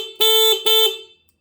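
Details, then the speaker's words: UTV turn-signal electrical box kit being bench-tested: two short, strong horn blasts with a clear, steady tone and no rasp or fading. The horn works normally. "so that's all it really takes to build a blinker kit except for the one final thing right here which should be our horn"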